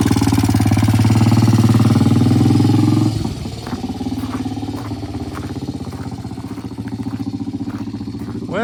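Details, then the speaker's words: Vintage British T20M single-cylinder 200cc four-stroke race bike after a test ride, which had been cold-started earlier. A strong even beat drops to a steady idle with no misses or knocks. It runs fine. "he went out under his own power. He came back under his own power. So far, so good."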